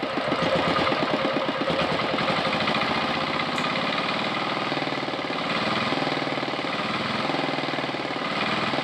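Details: R180 single-cylinder diesel tractor engine, after adjusting the throttle butterfly (idle) which previously would not idle or idled too high; steady thumping firing pulses slow and settle into an even, low idle: running properly.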